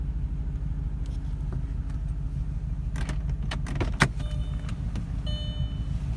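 Deep idle rumble with an uneven, loping beat under some key and cabin rattles; a rough idle, cause not identified.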